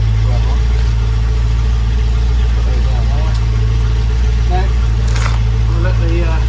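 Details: Land Rover Discovery 2 V8 petrol, possibly on choke, after replacing the fallen-off exhaust mid and rear sections with new gasket: steady, even low idle burble with no ticks, blows or misfires; exhaust sounds sealed and the engine runs smoothly, with condensation judged normal.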